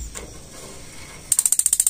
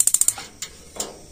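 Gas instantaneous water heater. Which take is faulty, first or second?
first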